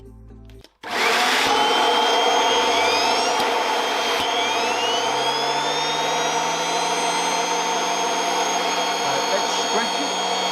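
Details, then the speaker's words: Kirby Avalir vacuum driving a turbo sander through the stretch hose, unstretched at about three feet: motor spins up quickly, then holds a steady, even hum and airy whine at full speed; normal sander speed before stretching reduces airflow. "i'm gonna let you hear it with it unstretched and then i'll let you hear it with it in stretch and you'll hear a massive difference right so this is sander unstretched this is just three foot"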